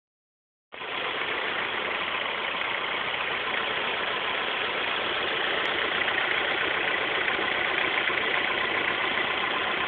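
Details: 2006 Honda S2000: light, fast metallic engine rattle at idle, about three or four beats a second, present for a week; owner suspects the timing chain tensioner (TCT), unconfirmed.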